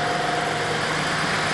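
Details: Ford Ranger 4.0 V6 that was misfiring and lacking power, after fuel pump replacement for low pressure: steady, even idle with smooth mid-pitched hum and no misses or knocks; normal idle.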